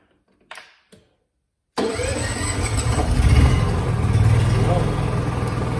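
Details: Honda generator, used once this year, with a low battery, started using a TOPDON V1200 jump pack: brief crank, then catches at once and settles into a steady, even idle with no misses; starts and runs fine.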